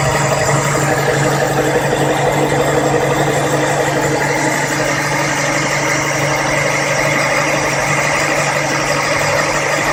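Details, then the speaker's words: Monza SL/E 1989/90 engine, warm idle without throttle, after replacing camshaft, rocker arms and hydraulic lifters to cure top-end noise: smooth and steady with no ticking or tapping; noise solved, normal warm running. "como pode notar já não escuta mais o barulho de uma ligada nele a aquecida não acelerei somente utilizei o jogador vai esquentando"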